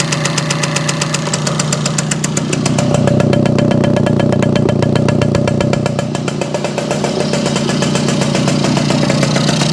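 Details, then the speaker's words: Circa 1965–67 Yamaha YJ2 60cc two-stroke on premix, mic close, idle being adjusted: crisp steady burble about four pulses a second, slightly lumpy and rich, clearing out; no ringing, engine tight; owner suspects lots of oil in pipe. "I don't hear any ringy dingy but pretty tight I think pretty well loaded up get a little better idler down a little bit that's a little too much starting to clear out a little bit I imagine the pipe has got a lot of oil in it"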